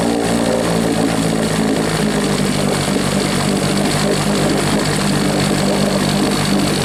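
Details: Rebuilt 1963/64 Evinrude 40hp two-stroke outboard, throttled down slow, likes the choke: buzzy drone settling steadier after a rough start, no misses; runs but can't be killed, later kicked into gear briefly.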